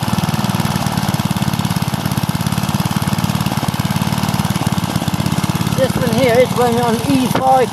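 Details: Small petrol engine running on E5 petrol: a quick, evenly spaced firing beat at steady speed with no misses or hunting. It runs smoothly.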